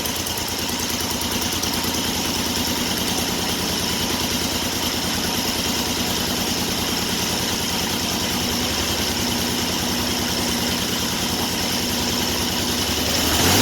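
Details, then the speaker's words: 1974 Triumph Trident triple after a Tri-Spark electronic ignition was installed and timed: even, steady idle with a regular exhaust pulse and no misses or knocks; idling normally. "Yeah, it sounds a lot better."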